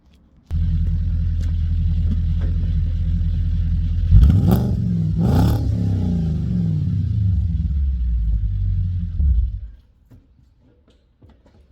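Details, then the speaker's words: Audi S5 4.2 V8, just carbon cleaned at a garage: deep, loud burble starting, blipping and settling smoothly before shutdown, even firing; normal healthy running. "That's what the S5 sounds like. It's pretty cool. Really loud."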